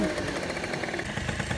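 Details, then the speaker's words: Scooter off its stand under load: uneven, chopping engine pulses catching and dropping out, though it runs clean on the stand; stuttering under load, owner suspects worn variator belt, dead rollers, or carburetor needle clip. "coup, en enlevant de la béquille, ça broute alors que sur la béquille, il ne broute pas."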